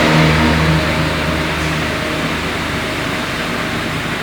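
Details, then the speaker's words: Chevrolet Onix 1.4 automatic LTZ after 40,000 km service and timing belt change, test-driven 14 km: engine picks up cleanly and settles to a smooth, even hum with no knocks or misses. Normal engine revving. "Motor ligado aí, ó, tudo funcionando certinho. Perfeito."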